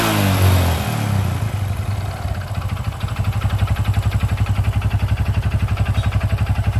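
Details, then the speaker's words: Honda Supra X 125 single: rough engine with a steady hard knock, about four a second, from the middle of the engine as revs settle, a sign of a damaged connecting rod. "ada di sebelah sini nih ada di sebelah tengah mesin dan ini salah satu ciri-ciri stang piston yang sudah kena"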